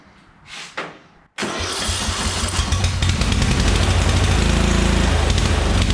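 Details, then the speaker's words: Murray Select riding mower, 13.5 hp Briggs & Stratton single, long unused, bottle-fed fuel with tank cap off: cranks, catches, runs loud with uneven pulsing beat and smoke from two-stroke oil; rich flooding, needs carb cleaning. "It runs. It definitely needs a carb cleaning. That smoking is because that was two-stroke oil, and also the thing hasn't run."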